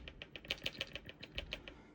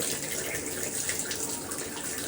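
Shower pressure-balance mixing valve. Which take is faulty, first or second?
first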